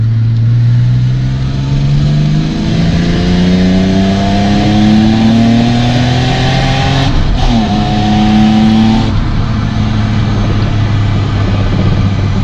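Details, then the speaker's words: Six-cylinder drift car engine, finally running, revved with window open: rushing air hiss on top of rising and falling revs under throttle; owner suspects an intake air leak at a hose/port, air heard passing when accelerating. "je pense à une prise d'air cac port est en fait ici je sow qui est laid et quand j'accélère on l'entend vraiment l'air qui passe ici"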